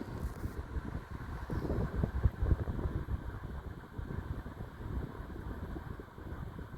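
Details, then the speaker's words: 1988 Galaxy 2151 16-inch table fan, made in Texas, on medium then low speed, drawing 0.6 A, 71 W: soft steady low hum, gentle wind rush, no rattle or squeal; normal running. "I don't know if you can hear the wind stream, but the velocity of this thing is just phenomenal. It's just on low speed."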